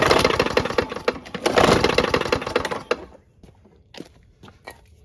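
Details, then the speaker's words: Free used lawn mower engine that otherwise runs fairly well, started up: rough running with uneven, loud knocking pulses for about three seconds before dying; knocking engine, cause unclear. "So this one actually runs pretty well. Here, I'll start it up. It just is knocky."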